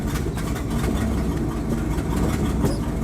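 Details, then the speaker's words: 1979 Dodge 100 carbureted truck, cold, in reverse after a choke fix: low, lumpy idle with a slight irregular stumble. Owner says it stumbles a little in the first minutes cold and stalls if the gas is hit hard, but is good once moving. "You hear it stumbles a little. Once you're actually moving, it's good though."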